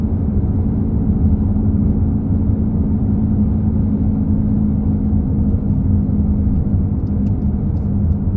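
Steady low drone at road speed with a constant hum riding on the rumble; humming from the rear, source not pinned down. Cause suspected, not confirmed.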